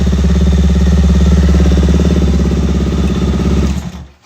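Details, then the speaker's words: Benelli TNT 25 motorcycle after clutch basket repair for clack noise: steady, even idle thump at about three and a half beats a second with no clatter, then clean shutoff. Normal idle. "Por lo pronto no se escucha ningún [Música] ruido eso es lo máximo"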